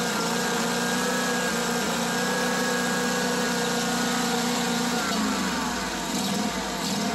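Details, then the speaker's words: Small lawn mower engine surging at idle, pitch wandering as speed hunts; caused by a vacuum leak, smooths out when carb cleaner is sprayed at the carb/intake gaskets and with choke half on, traced to a missing Welsh plug on the carburetor. "this mower was in for it surging during idle so I'm going to Crank It Up and let you listen to how it runs"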